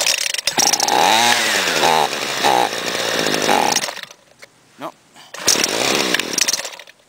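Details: Homelite gas trimmer with no air filter, primed six times and started: buzzy two-stroke note climbing and falling with throttle, a short lull, then picks up and runs again; starts and runs normally.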